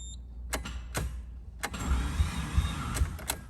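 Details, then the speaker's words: Rebuilt Mazda FD RX-7 rotary running after the MAP sensor hose was reconnected to the upper intake manifold; starts but runs terribly, rough lumpy idle with uneven chuffs and surges; seems to run on one rotor, matching low compression. "hey i mean it's running it's running terribly i don't know why but be that honest"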